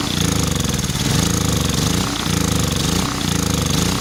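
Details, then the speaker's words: Centurion Generac 3250 generator unused two years, fresh gas, cleaned plug, carb cleaner sprayed in: chugs and surges roughly, only running while fuel is hand-fed; not ignition, fuel-related, carburetor suspected clogged. "J runs when you force feed the gas so it's not ignition problem it's definitely gas related"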